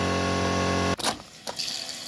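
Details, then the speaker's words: Peugeot 106 1.6 8v NFZ fuel pump, disassembled and modified after months unused, bench-tested on battery with heavier wires: steady buzzy electric hum about a second, then clean cutoff; pump works and jets fuel without leaking. "Bon, déjà la pompe elle fonctionne."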